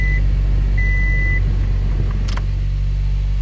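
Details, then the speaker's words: First-gen Scion xB that would not start without an OBD2 scanner plugged in, after fixing the negative-terminal ground wire and removing the scanner: two chime beeps, then a steady, smooth low idle with no stumbling or clicking, starting normally. "everything turned on and this is without the obdd scanner on"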